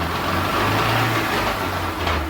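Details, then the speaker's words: 2015 Chevrolet Onix (Prisma): noise absent in first gear and at idle but present from second through fifth under acceleration; faint gear whine and rough rumble over the engine, pointing to worn manual gearbox gears. "Ele reclama aqui na primeira e não faz barulho é mas a segunda terceira e quarta quinta marcha diante é um barulho isso é isso fornecedor na lenta não tem nenhum barulho"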